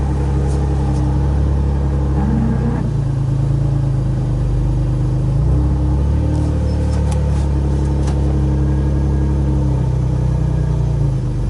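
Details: Flood-damaged Nissan 350z that sat over a year, after a loose, unclipped plug was reconnected. Deep V6 rumble rises cleanly through several throttle blips and drops back smoothly, no knocks or misses. Normal revving.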